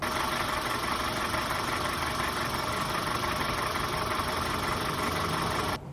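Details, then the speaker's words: 8th-gen Toyota Corolla after oil-burning piston replacement with NPR pistons: hard rattly idle with fast diesel-like clatter over an even beat; owner unsure whether lighter pistons make detonation louder or pistons rattle; cause unknown. "My wife's been driving it a lot. It just sounds kind of like a Volkswagen."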